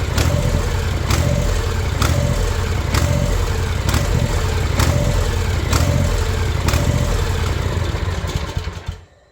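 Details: New Ariens Ikon mower with a Kawasaki FR691V, 5 hours old, surging at idle since new, before the carburetor is cleaned: idle swells and dips about once a second in a steady rhythm; surging idle.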